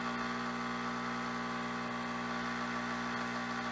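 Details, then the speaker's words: Espresso machine pump hums steadily without easing at about 9.8–9.9 bar and 92° brew temperature, with almost nothing flowing. Mayorga organic Cuban dark roast beans are ground too fine and choke the puck, so the grind needs to go coarser. "so we know we need to adjust the grind size even corset and this is actually quite a lot of jump from our regular medium low speed to the dark roast"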